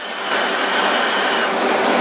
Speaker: You can hear a pretty substantial hissing noise when the air is on.